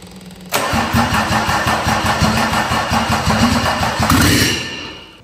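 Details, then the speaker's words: Mercedes 190D OM606 diesel project engine, first start out of the car with makeshift fuel bottle and wiring; brief crank, then loud uneven clattery pulses near three per second before dying: rough first running, cause unknown. "Kako radi, prosudite sami, ali ne može raditi sigurno perfektno. Zato što, više struki su razlozi."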